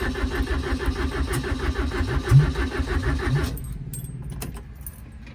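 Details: Toyota 20R being reassembled, ignition on and fuel pump delivering pressure to the filter: steady cranking about three beats a second with a cough or two that never catches; cranks, no start. Owner suspects the electric choke wire is unhooked.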